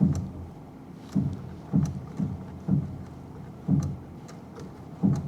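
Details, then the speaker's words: Repossessed Copart vehicle with an automatic that is slow to engage forward, while driving: heavy dull clunks at irregular intervals from the passenger front; suspension wear is suspected but not confirmed. "There's something going on the passenger front there. That ain't good. That ain't good at all. She's got some miles on her. You know, she probably needs a little bit of suspension work for sure."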